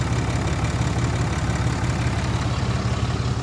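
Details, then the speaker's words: Ford F-150 at an auction lot, alternator charging, likely needing batteries: a deep, even rumble with a steady beat and no knocks or misses. It runs well. "I'd be willing to bet money she's going to need a battery or two it runs well it really does purring like a kitten man"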